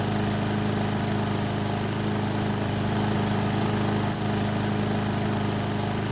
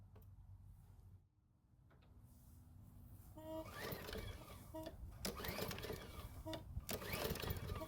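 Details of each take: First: Garden Line walk-behind mower after about 3 minutes running, near normal temperature: steady even single-cylinder drone, no misses or surging; normal running. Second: Garden Line mower, engine made 2017, about 7 years old, spark plug wire replaced: pull-cord bursts turn it over but it never fires, a no-start from water in the fuel.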